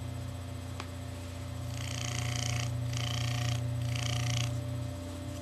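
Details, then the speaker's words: Bell & Gossett 1/12 hp pump motor, 1725 rpm, single-phase 110 V 60 Hz, 1.7 A, being restored: soft steady low hum with no knocks, rattles or scraping; very quiet, normal running. "so it's a very very quiet motor so I'm going to go ahead and fire it up and we're going to have to be very quiet to hear it"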